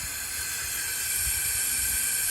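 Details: 2007 Freightliner Columbia with a Series 60 Detroit, air pressure above 100 psi, engine off, ignition on. Steady sharp hiss of air escaping through the fan clutch hub: failed fan clutch hub, air leak.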